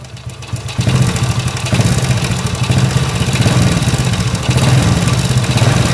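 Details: Honda S90 small single, after a fix for a loose, noisy cam chain: even idle with slight rise in revs and no top-end rattle, cam chain now quiet.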